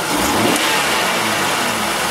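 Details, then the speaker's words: Six-cylinder engine with a dead misfire on cylinder 5 from a mechanically stuck-closed fuel injector (no-fuel misfire, high spark line on scope): on a snap throttle the engine note sounds ragged and uneven, one cylinder dead. "we have a dead misfire we can feel it we can hear it it's misfiring right now"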